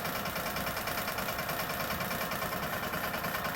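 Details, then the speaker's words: Old air compressor (rated 100 psi) just rewired, first power-up: an even pumping thump about three strokes a second over a steady motor hum, running normally with no sparks. An air leak had kept it from reaching pressure and shutting off. "so fingers crossed here we go it's running no sparks"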